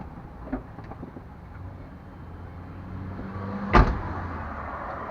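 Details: 1998 Chevrolet Suburban K1500, 5.7L, 4L60E, 177k miles, in 2WD: two sharp heavy clunks over a quiet idle shifting park to drive and back; driveline clunk, cause unknown, also sometimes clicks driving uphill.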